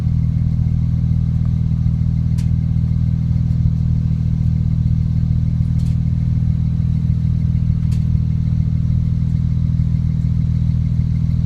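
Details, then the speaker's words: 2008 BMW E90 335xi xDrive, stock N54 twin-turbo, cold start after sitting overnight, with intermittent misfires despite new Bosch plugs, NGK coils and HPFP and cleaned injectors: a deep idle pulsing about four times a second that never evens out; misfire felt. "so either I'm oversensitive or I can feel the misfire yeah definitely misfires"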